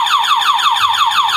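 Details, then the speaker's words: Motorcycle with a DIY anti-theft alarm (5-pin 12V relay, on-off switch, LED flasher, diodes): with the switch on and the ignition tampered with, the buzzer sounds a loud, steady, repeating falling chirp, all four turn signals flash, and the engine cannot be started. "Oke, jadi hasilnya seperti ini. Lampu sen keempat-empatnya menyala, depan belakang, dan buzzer berbunyi."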